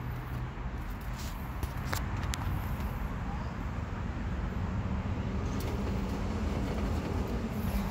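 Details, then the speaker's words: Toyota FJ Cruiser front suspension rocked after lubricating the front shock's rubber bushing with silicone spray: only low dull rumbling, the high smoke-detector-like chirp gone, at least for now. "as you can see the squeak is gone at least for now"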